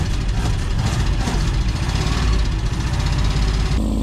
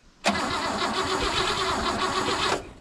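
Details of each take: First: 1959 Oldsmobile Dynamic 88 V8, barn find started after sitting for years, idling roughly with throttle taps. A light, quick ticking rides on top from a noisy hydraulic lifter, apparently on bank one. Also an exhaust leak (broken bolt) and a misfire on one cylinder. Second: 1959 Oldsmobile Dynamic 88 barn find that sat for years, cranking on the starter before fuel reaches the carb. About two seconds of even, regular chugging on every cylinder; compression sounds balanced and healthy.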